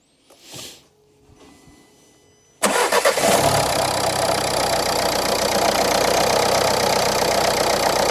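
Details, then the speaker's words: Renault Clio IV 1.5 dCi losing engine oil, check-engine light with a fuel injection warning, on an injector tester (one injector slightly weaker): it fires after a pause into a harsh, clattery, uneven idle; no oil on the dipstick, hence the loud running. "Gdzie ma olej? >> Dobra, nie ma oleju. >> Nie ma. No le jest do wymiany ewidentnie. >> Dlatego głośno chodzi."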